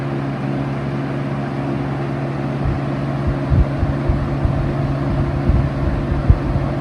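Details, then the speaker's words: 1971 Kel-Aire model 7000 20-inch three-speed box fan on low, still fairly fast and not whisper quiet: steady low hum, constant airy rush, a few light rattles; normal running on low speed. "So, it's still pretty fast on low. It's not exactly a whisper quiet fan."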